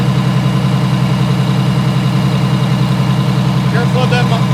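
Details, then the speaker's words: Allison V730 transmission motorhome diesel held at fast idle, listened outside at the power steering pump: steady thin whine over the drone, likely source of the high-pitched rear-bedroom whine at highway speeds. "This is the power steering right here. You want to listen to that guy."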